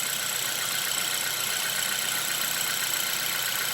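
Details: Hyundai Veloster idling after ignition coil boot replacement, engine warm, restarted with everything back in place: even, unbroken idle hum with a steady pulse and no stumble or misfire; idles smoothly.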